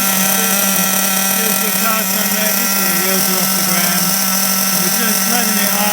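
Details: Kyosho MP9 TKi4 V2 Readyset nitro engine, first start for break-in with the idle turned up, car on a stand. Fast, steady high-pitched buzz with an even note and no stumbles. Normal idle.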